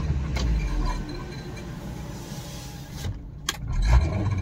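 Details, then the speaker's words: Suzuki Baleno at idle and under throttle, noise also at starting: low engine rumble with an irregular scraping rub as the engine vibrates, from the exhaust silencer underneath touching the body, possibly knocked on the road. "जो आवाज़ है friends नीचे से silencer यानी की exhaust से आवाजें कुछ कहीं पे गाड़ी छू गई है रास्ते में"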